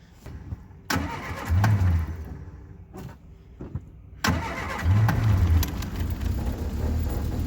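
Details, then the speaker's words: Triumph Spitfire first start in 25 years, cold, choke set, after distributor timing corrected (possibly 180° out), rebuilt carburetor and new electric fuel pump: starter churns, false catch, then fires without starting fluid and settles into steady, smoky choked idle. "There it is. Took a little bit of love, but it started right up. Nice and smoky."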